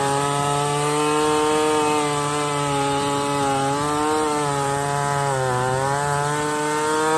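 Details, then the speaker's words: Stihl 024 chainsaw after carb tuning and a makeshift aftermarket air filter, cutting firewood at high revs: steady high whine dips slightly as the bar loads and recovers cleanly, no misfire; healthy. "It sounds pretty good up high to me. Didn't sound like it was missing a whole lot."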